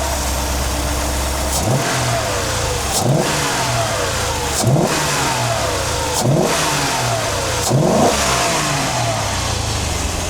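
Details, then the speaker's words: Mercedes W126 560SEL V8 after fuel distributor repair and engine rebuild, both fuel pumps new, fuel return 2.6 L/min, idle about 960 rpm. Five quick, clean throttle blips rising and falling smoothly from steady idle, no misses or knocks; normal free revving. "560这个吞吐量这么大，听起来就是很过瘾。"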